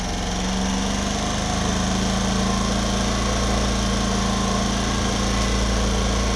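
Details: Homelite HG600 generator with Yamaha engine, after a fuel pump clean and new gasket set, restarted: the small single-cylinder engine holds a steady, even idle with no misses, knocks or surging, running smoothly.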